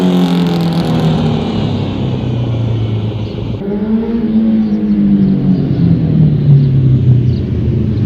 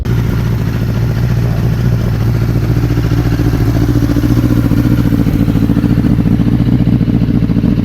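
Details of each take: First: 2005 Honda CBR1000RR inline-four after rebuild and balancing shaft adjustment: idles and blips with a clean exhaust note and the earlier whine/whistle gone. Runs healthy but slightly rough at idle; idle/AC thermal valve adjustment may need tweaking. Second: Rebuilt 2005 Honda CBR1000RR after setting the balancing shaft: the whistle is gone, but the idle is uneven and lumpy at about three to four pulses a second and sounds rough; the idle still needs adjusting.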